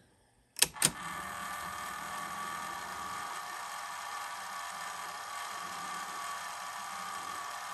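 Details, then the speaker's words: 1980 Sony SL-5800 Betamax, cleaned and worked after sitting dormant for years, rewinding a test tape: a couple of engagement clicks, then a steady even whir with no drag or squeal; the transport is healthy. "rewinding no problem that looks good"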